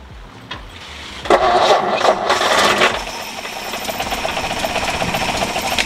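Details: 1952 Ford F1 pickup, old fuel looked bad, mechanical fuel pump suspected worn, fuel poured in by bottle: starter spins the engine steadily with an uneven rhythm but it never fires. Cranks without starting, cause suspected.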